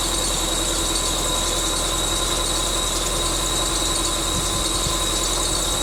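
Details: 1999 Subaru Forester S 2.5L EJ25 SOHC, first start after head gasket replacement: constant sharp high-pitched squeal over a steady idle from the bottom pulley, which was on too tight. Pulley squeal from overtightened pulley.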